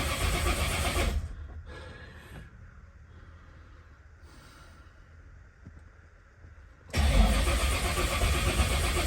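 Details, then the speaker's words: Blown 1957 Chevy Gasser after an oil change with an unfilled oil filter. The starter cranks in loud bursts without firing to build oil pressure before starting; deliberate cranking, no start. "I'm trying to build oil pressure before we start it because I like I said, change oil."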